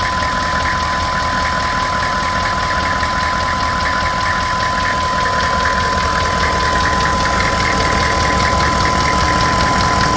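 Steady idle with a regular knock about four per second riding over the engine, cause not clear from the sound alone.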